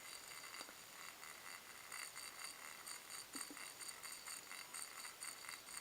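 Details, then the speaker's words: Game Boy Color running a Zelda game before speaker replacement: thin, tinny, faint music with crackly, harsh highs and almost no body; the original speaker is blown. "Okay, you can hear a little bit. Oh yeah. That sounds freaking terrible."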